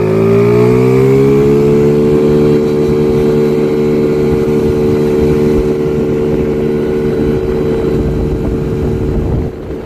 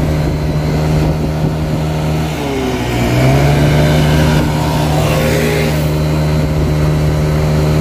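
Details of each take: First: Chinese 50cc scooter after CVT tuning with stock variator rollers replaced by 6.5 g rollers: engine note climbs fast then holds steady as it pulls hard into its power band; strong acceleration, top speed estimated up from 30 to about 45. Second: Chinese 50cc scooter engine on a ScootSled, CVT with three variator rollers; revs up very high with weird shift points. Buzzy note flares high, sags, climbs again; over-revving from too-light rollers.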